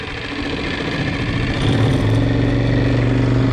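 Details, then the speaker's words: Lehr 2.5 propane outboard, new, on a 14-foot aluminum boat, turned around to reverse. Smooth even low drone that firms up as it pulls; no misses or knocks. "And as you can tell, we can go ahead and move along pretty fast at full bore. So it's a really nice running little motor."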